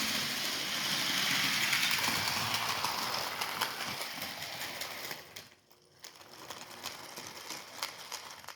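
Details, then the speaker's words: HO-scale 2-10-10-2 locomotive built from Rivarossi 0-8-0 chassis, first test run at full speed drawing just under half an amp: fast even ticking about 200 a minute over thin motor whir, from a driver wheel bouncing with too much slop. "yeah it's this um this wheel right here is bouncing up and down that's what's making The Tapp of noise"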